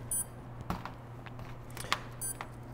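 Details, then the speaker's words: T-Motor Flame 180A HV ESC with T-Motor U13II motor on heavy-lift drone, about 46–48 V battery plugged in: short high beeps through the motor over a low steady hum; normal ESC power-up tones. "I'm gonna plug this into the ESC you'll hear the whole thing beep beep"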